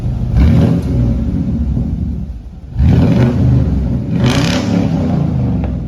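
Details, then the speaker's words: Truck with a newly installed aftermarket exhaust: deep, steady rumble swelling with each throttle blip and settling back cleanly; sounds better. Normal revving with aftermarket exhaust. "That sounds better. So that sounds better."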